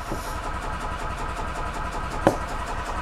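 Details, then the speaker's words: 2005 Yamaha G22 gas golf cart: starter turns the engine over steadily for several seconds but it never catches, whatever the choke or throttle position; crank no start, owner suspects a blocked carburetor or bad fuel pump. "the issue with this one is a crank no start this one we have a crank no matter where I go with the choke"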